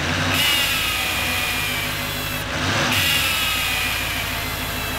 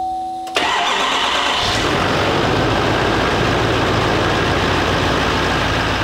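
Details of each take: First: 2018 GMC Sierra 3500 HD salvage rebuild, running. A high thin whistle rises and fades in two surges as exhaust escapes past the EGR pipe flange gasket; the flange may be bent. The fix is to replace the pipe between the intake and the EGR. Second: 2018 GMC Sierra 3500 HD salvage rebuild, after replacing the pipe and seating its gasket. It cranks briefly, catches and settles into a steady, even idle with no whistle or hiss; the noise is gone.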